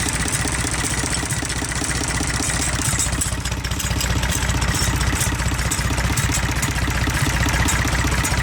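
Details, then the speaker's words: IH 484 diesel tractor with PLN engine, smoky cold start around 55°F; low idle with steady knock, cracking the No. 1 injector line barely changes it versus cylinders 2 and 3: weak No. 1 cylinder, valves out of adjustment. "Number 1 again. Definitely makes a change, but not as much as the other 2. So we got something wrong with the number 1 cylinder."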